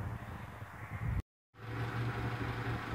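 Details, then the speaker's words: 1990 Honda Accord project car idling smoothly; steady, even low hum with no misses or stumbles once warmed, where at first start it sounded horrible; normal idle. "all right this thing's still purring away done sounds so bad now when i first started it up man this sounded horrible"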